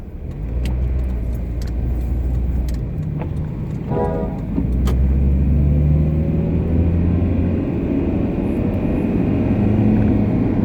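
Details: Steady low hum under road rumble with a faint whine rising and falling with road speed: the "ween" is the differential, the sharper "keen" a failing wheel bearing; diff noise present about six months, bearing about two months, still being driven.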